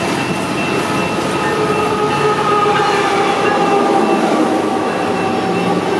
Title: Westbound coal sounding normal, grain train making strange howling sound